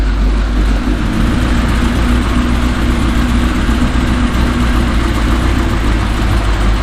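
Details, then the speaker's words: Third-gen car started after fuel system repairs and two years unrun, fitted with 36 lb injectors the computer dislikes: deep heavy idle with lumpy uneven beat under loud bassy exhaust while warming up; rough idle, cause suspected. "she ain't happy with something we got 36 pound injectors so the computer's not happy about that it hasn't run in two years he's not happy about that"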